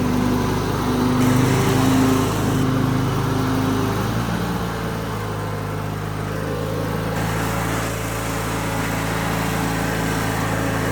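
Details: 2003 Craftsman (AYP) DYT4000 hydro riding tractor with electric PTO and 48-inch deck: engine holds steady, settling to a slightly lower even speed after a few seconds, no knocks or misses; runs healthy.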